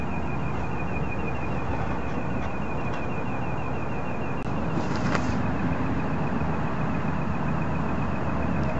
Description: Just started hearing this tonight, can't figure out where it's coming from. Never heard it before either.